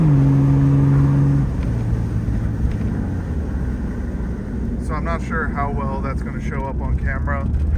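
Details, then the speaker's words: Jeep WJ at 204,000 miles on its first test drive in about two years, accelerating: a deep, loud booming drone that holds as the engine pulls, because the exhaust is cut off just before where the muffler should be. "it sounds terrible it's just cut off right in front of where the muffler would be"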